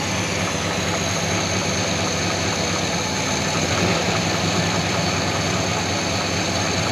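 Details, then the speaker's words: 1969 Buick Wildcat V8 back running after 26 years, with 10W30 oil and new oil pump, instant oil pressure: smooth, even, much quieter low idle rumble with no chuffing or blow-by. "oil pressure boom instant it took a second before I think that 10w30 and that new oil pump definitely made a big difference much quieter huh so much quieter"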